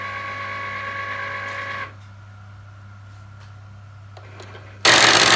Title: Cricut Explore Air 2 grinding noise